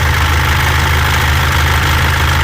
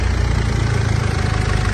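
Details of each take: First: 2014 Mitsubishi L200 Triton 3.2 diesel, 254,000 km, idling: fast, uneven metallic rattle like a rattlesnake, intermittent, worse when hot; worn timing chain, timing chain kit replaced. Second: 2014 Mitsubishi L200 Triton 3.2 diesel, 254,000 km, after timing chain kit replacement for chain noise that grew when warm: steady smooth idle with no chain rattle, no oil leaks.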